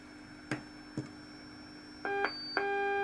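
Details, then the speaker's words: Homebrew MC1350P-based SSB superheterodyne receiver tuned around 7.2 MHz with antenna disconnected; a few tuning clicks then steady whistling tones over quiet hiss; spurious birdies, source not yet traced. "so just say like I say a couple of birdies here I haven't done any myths to work out where they're coming from"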